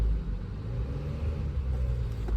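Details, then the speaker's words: Chevrolet Cruze after valve cover gasket replacement stopped oil reaching the coils, coils refitted, codes reset, booster on dead battery: steady even idle rumble, no misfire or shaking. "Okay. Is there any misfire? Nope. The car runs fine."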